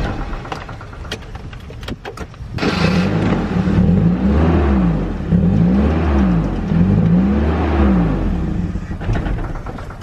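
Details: Nissan 240SX S13 engine, started after ECU reinstall, catches and revs unevenly, stumbling and surging in a ragged rhythm; misfiring badly. Engine had overheated and coolant looks foamy; owner suspects a blown head gasket, not confirmed.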